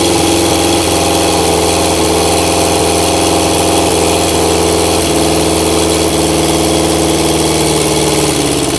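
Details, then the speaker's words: Engine running through vacuum-fed carbs with no air restriction: loud uneven lumpy idle with irregular firing pulses; rough idle the owner expects from the unrestricted carbs. "obviously it's going to run like Hammer chip because there's no um air restriction on it"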